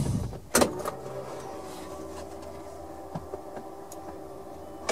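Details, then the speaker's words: Long-unused Suzuki Carry mini truck on a 275 CCA lawn tractor battery, key-on: a few clicks, then a faint, steady electric hum for a couple of seconds as the fuel pump primes normally; the engine turns over without clanking. "i heard the fuel pump nice it's turning over nice nice all right well that's a good sign"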